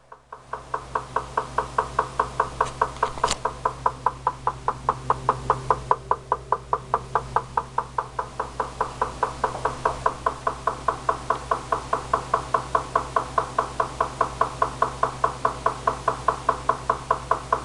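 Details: Recently bought GE refrigerator: a steady knock about 2.5 times a second over a low hum, from the upper-back left side of the freezer, lasting up to 2 minutes, 2–4 times daily; the service technician calls it normal, while the owner disputes this.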